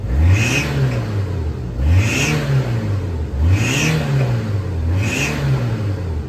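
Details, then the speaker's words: Turbocharged kei car under hard throttle stabs, camera on top of the turbo: sharp high hiss-squeal at each peak, only under load and boost, with back pops; owner suspects boost leak, exhaust manifold crack or bad turbo, unconfirmed. "so it only happens when I get into load when I get into boost"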